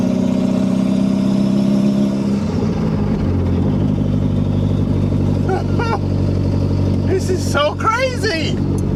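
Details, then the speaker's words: Toyota MR2 Turbo, 3S-GTE swap, driving with only the turbo downpipe and no muffler, idle high, after boost and vacuum leaks were fixed: a loud, raw exhaust drone that climbs and settles smoothly with throttle, no misfire; running right. "so everything's running right it sounds good it would sound much better with an exhaust but I'm gonna drive this bad boy right now anyway"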